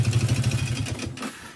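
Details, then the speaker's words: Yamaha Vixion engine before teardown, piston block apparently replaced before: harsh, rapid, very loud metallic clatter hammering over the engine before it dies away; mechanic judges it connecting rod and piston knock. "Jadi kalau menurut analisa saya ini bunyinya bunyi stang sehernya ini juga sangat keras sekali. Emretek sangat kempretek."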